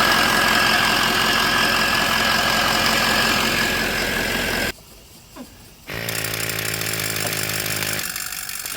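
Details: 2004 Ford F350 6.0L Power Stroke diesel after a Sinister Diesel adjustable fuel block (blue spring) upgrade; a coolant line is leaking. Loud clatter with a high turbo whistle, shut off, then it fires straight back to an even idle. Running normally.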